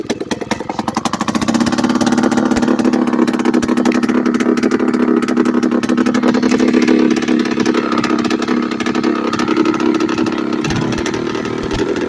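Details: Late-1990s Polaris Explorer two-stroke ATV ridden with the exhaust off: loud, raw unmuffled crackle with an uneven beat; without back pressure it runs erratically and often idles too high to shift well.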